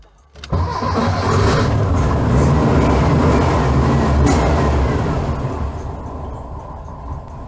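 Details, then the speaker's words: Engine on IDF carburetors with only idle jets fitted, no main jets: it cranks and catches with a sharp pop through the carburetors, then settles into a rough idle. Carburetor backfire on startup. "ठीक है, हमारे पास throttle के माध्यम से एक बुरा pop था, लेकिन यह कमोबेश वही है जो आईडीएफ करते हैं"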